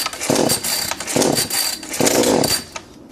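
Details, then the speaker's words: Kretec UDT chainsaw, cold start with fuel mixed 25:1: switch on, choke lever pulled, then three pull-start rasps until the engine first fires briefly on choke, a normal first firing, after which the choke lever is pushed back. "당기면서 초기 시동을 확인합니다 확인이 되면 초크 레바를 밀어 놓습니다"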